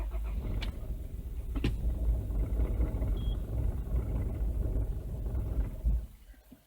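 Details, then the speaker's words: 2003 Toyota Noah, 2.0L 1AZ-FSE direct-injection engine with coil-on-plug, hard to start: it catches and runs lumpy with an uneven low rumble and sharp clicks, then stalls after about six seconds; cause not yet confirmed. "Ati nenzija wano nenziramu nenjikuba. Era neddamu nezikira."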